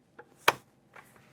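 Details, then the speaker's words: Used sewing machine bobbin area: one sharp, crisp click over quiet handling noises as the bobbin case snaps fully into place; without the click it may not be seated and the needle can hit the bobbin case. "I've had this bobbin case in here, and you should always hear it click."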